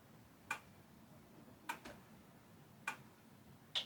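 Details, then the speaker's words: Amiga 1000 powered on with no disk, black screen then asking for Kickstart disk: sharp double tick about every second over a quiet hum as the empty floppy drive clicks searching; normal drive clicking with no disk. "It is now asking for the Kickstart disk, and I can hear the disk drive clicking away."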